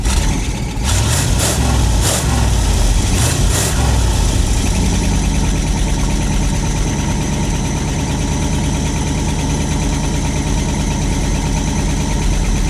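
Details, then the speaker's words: Long-sitting carbureted truck on fresh gas from its own tank and fuel pump, started with key, microphone down by the exhaust: a few throttle blips, then deep steady burble idling on its own; normal idle. "holy guys it is idling on its own that's awesome"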